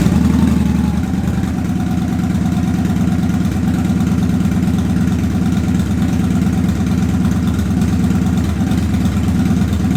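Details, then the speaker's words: Victory High-Ball V-twin motorcycle cold start right after an oil change with 20w50 and new filter: deep, steady lope at cold idle, even rhythm, no knocks or rattles, starts cleanly and runs healthy. "let's go ahead and fire the biker and see what she sounds like oh yeah nice little cold start here we go"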